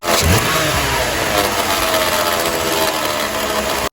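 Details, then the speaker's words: 2006 Dodge Grand Caravan V6 at idle, busy gritty rattle like marbles in a blender, worse when decelerating, amplified with a screwdriver on the alternator case; failed alternator decoupler pulley. "Customer complaint is a rattling noise at idle, especially when the engine is decelerating. It sounds kind of like marbles in a blender."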